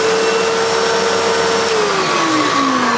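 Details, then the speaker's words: Hitachi Powerhouse CV770D upright vacuum after refurbishment, with seals cleaned, motor fan washed and stuck bearings oiled loose: a smooth, steady mid-pitched motor hum with no grinding or squeal, easing slightly lower; normal running. "The fan has been washed on the motor. The bearings have been oiled."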